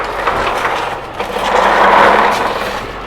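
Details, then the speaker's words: Commercial Toro mower with a replaced engine (about two months of daily, hours-long mowing) after reassembling the wheel, on the ground under load: steady even engine drone, no grinding or clunking from the wheel gears; wheel grinding noise fixed, drive sounds normal. "Let's see if it still makes that noise. All that sounds normal."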